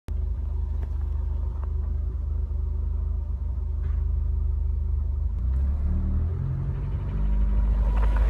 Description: Noise that iv noticed my megane r26 is making only between 1500rpm-2000rpm whilst holding revs on and on overrun/deceleration.